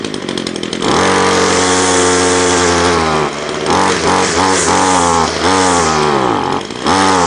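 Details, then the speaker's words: Ryobi two-stroke line trimmer that won't rev, started after ten primer pumps, on choke, throttle held full: revs surge then sag repeatedly, never holding a clean high scream; bogging from too much oil in the fuel. "to me it sounded like it was struggling for either air or fuel or I've been caught before when it's trying to push it out the exhaust and the exhaust is blocked"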